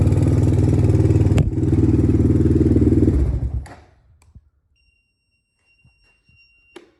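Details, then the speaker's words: 2007 Honda TRX400EX single cylinder started with a little choke, slight smoke: loud, regular clatter from the top end for about three seconds then shuts off; owner suspects valve lash, also breaks up under throttle. "It's definitely rattling pretty bad in the top end though."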